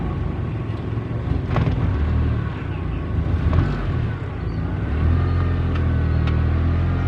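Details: Mitsubishi brought in for an alternator charging check; the alternator is charging fine. Steady low engine rumble with even firing and no knocks, squeals or whine; a healthy idle.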